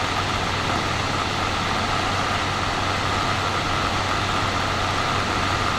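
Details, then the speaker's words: Steam Deck cooling fan ramped to about 5200 RPM, microphone set down near the unit: steady rushing hiss, thin buzzing tone and low hum; rattling/buzzing began after about 10 minutes of ownership. "I have sat here and waited for the fan to get up to about 5200 RPM that's where mine starts making the pretty obsessive rattling noise"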